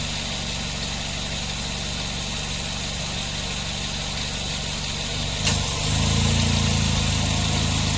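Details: Nissan NV van A/C, previously loose compressor with poor cooling, high pressures and leaks, after fitting a new compressor and clutch: an even idle, then a soft click near five seconds as the clutch engages and the engine loads slightly. It runs quietly with no knock and cycles normally.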